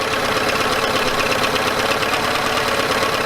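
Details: Yamaha 9.9hp outboard idling after replacing a cracked, dried-out carburetor diaphragm that caused heavy gas leaking (impeller also replaced earlier); busy but even idle, quick steady patter, no misses or hunting; runs properly.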